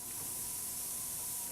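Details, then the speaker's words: Oxy-acetylene torch with valves open too far when lighting: loud steady rushing hiss at tip with no flame; only open gases slightly, should not hear hissing. "but all of it is just incremental they're just little little minor changes but when you're trying to light it should not sound like this"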